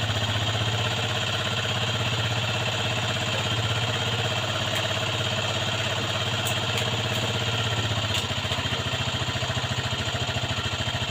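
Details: Aprilia Leonardo 125 scooter after long storage: small single settles into a steady, even idle with regular firing pulses and no misses; running normally.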